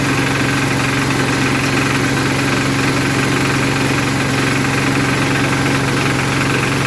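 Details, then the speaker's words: 1981 Case 210 garden tractor, first cold start of the season after winter storage, on choke, not in gear: fast, regular putter at steady idle, no knocks, misses or surging; running healthy. "We put the choke up. Whoa! There she goes."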